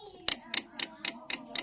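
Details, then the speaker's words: Carbureted Honda Vario CBS with normal battery and starter motor: sharp, even clicks about four a second while the button is held, with no cranking; the starter relay chatters because the CDI is weak. "Tapi kalau ini enggak setiap ditahan clek klek klek klek gitu ya tapi kalau bostel itu meskipunahan berarti itu bunyinya cuma satu kali meskipun dipencet lama"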